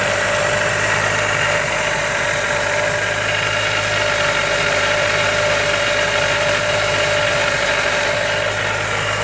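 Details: Miata with Jackson Racing M45 supercharger at idle: constant mid-pitch whine with coarse rough edge and rumble; owner suspects bad supercharger bearings.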